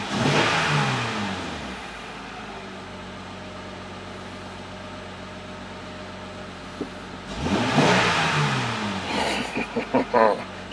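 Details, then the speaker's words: Honda Pilot after replacing a failed fuel injector with an OEM part: engine climbs smoothly on two blips and settles back to a quiet, steady idle; pulls cleanly with no stumble or miss, nice and smooth. "nice and smooth I'm so happy about that"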